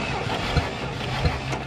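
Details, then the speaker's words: 1967 International Scout, long-abandoned, during a compression test: while cranking, a soft puff comes back through the carburetor about every two-thirds of a second, with a possible sticking valve on number four; cause unconfirmed. "You hear it building compression or it's building some. But listen here. Is that coming through the carburetor?"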